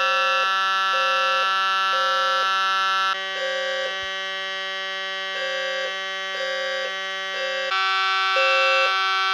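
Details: Fire alarm panel in full general alarm after testing a key-only pull station, with a System Sensor smoke detector on Zone 3 monitored by a 4.7k ohm resistor: steady alarm tone under horns pulsing evenly in groups of three.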